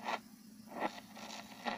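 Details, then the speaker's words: Four-band radio receiver plugged in and switched to AM, no station on any band: hissing rush with scattered crackles and scratchy bursts, no voice or music; no station received. "wala stasyon. Ayan o, wala."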